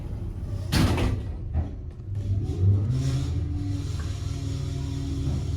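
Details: Otis/Dover traction elevator: a deep, steady train-like rumble runs under the whole trip as the car moves; bad bearing rumble, typical of a worn hoist machine bearing.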